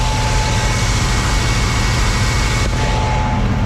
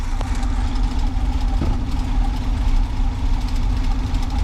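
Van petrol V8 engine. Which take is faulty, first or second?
second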